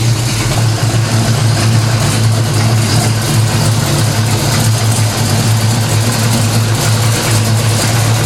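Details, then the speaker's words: 1970 Pontiac LeMans 455 V8 on the lift, idling while warming up to temperature, Violator pipes, Turbo 350 transmission on Type F fluid: loud, deep, even burble, no knocks or misses, no leaks; motor sounds good, normal idle. "so yeah that sounds good to me no leaks pipes violator pipes sound good motor sounds good get her up to temperature"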